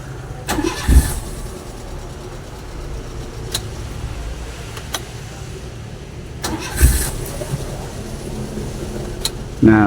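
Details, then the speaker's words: Daihatsu Grand Max after starter repair (worn carbon brushes, internals cleaned): brief crank catches quickly and settles into a steady low idle; starter normal again, previously only clicked. "oke sudah normal ya, Rekan-rekan. Jadi untuk masalah tidak bisa di starternya itu berasal dari brushnya yang habis ya dan juga dibersihkan bagian dalamnya."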